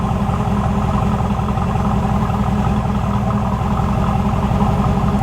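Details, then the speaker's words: IROC-Z with new engine, GM OBD1 ECM, idling about 600 rpm with the scan tool unplugged (the tool had caused a high, unstable idle), heard at the tailpipe: steady, even low rumble with no misses. Normal idle. "perfectly normal as far as i can tell sounds just like it ought to sound would have never guessed"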